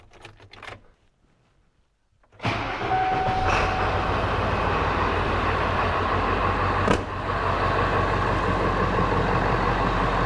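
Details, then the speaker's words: 1996 Ford 7.3 Powerstroke diesel after replacing a bad glow plug, about 55°F in the shop: silence, short crank, fires straight away and settles to a loud, steady idle with no stumbling; normal start and idle. "There you go, guys. It's started. It's running. It is fixed."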